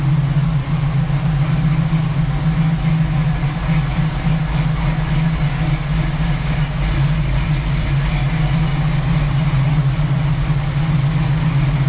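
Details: 1967 Camaro SS clone V8, parked since 2000, first startup after revival with a couple gallons of fresh gas: deep, steady, even idle burble with no misses or knocks; ran good, nothing concerning yet.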